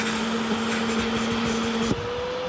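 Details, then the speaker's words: Bissell Little Green ProHeat portable carpet cleaner: steady motor drone, then pitch jumps higher near two seconds as suction stops after pulling debris in, symptomatic of a common clog choking suction. "then look what happened. It stopped sucking. Something was happening in here. It was pulling all that in, and then it sort of like clogged. It just stopped working. That's symptomatic of a very common clog."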